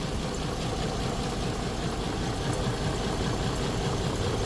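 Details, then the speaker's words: Nissan Skyline R34, a 25-year-old car, on its first start after a tune-up with new spark plugs and cleaned ignition coils: a lumpy, uneven idle that never settles. The check engine light is still on, and the owner suspects a wobbly pulley. "So check engine is still on. It's still running a little rough."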